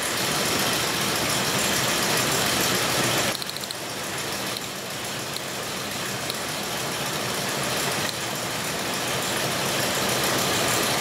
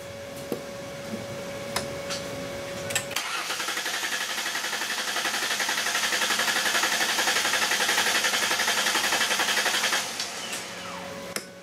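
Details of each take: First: 2002 Ford Explorer Sport Trac 4.0 L V6 with cylinder 6 misfire and bad bank 1 sensor 1 O2 sensor, cold idle during diagnosis: uneven lumpy beat under loud steady engine noise, one cylinder dropping out. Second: 2002 Ford Explorer Sport Trac 4.0L V6 with a cylinder 6 misfire and a bad bank 1 sensor 1 O2 sensor, cranking during a relative compression test. The starter whirrs at an even beat of about four per second with no uneven spots, so compression is normal and even.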